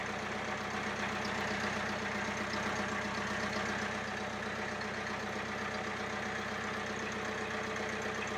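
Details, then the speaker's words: International B276 diesel tractor after annual service, tappet clearances reset and fuel system bled, exhaust silencer not yet fitted: loud, raw but steady, even idle with no tappet clatter; normal idle. "well as you can hear it's certainly sounding a lot better no we're not getting that tepid noise that we were getting before"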